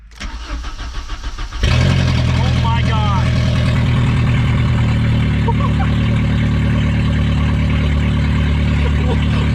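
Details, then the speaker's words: Junkyard VW Golf Mk3, 122,000 km, first start: brief crank, then a very loud, raw, deep blat at idle because the exhaust is missing right after the catalytic converter. "oh my god the last thing i would have ever expected was for the whole exhaust to be gone holy crap this car is so loud oh my god i had no idea wow oh yeah well i see a new exhaust but like it's open right there right after the cat"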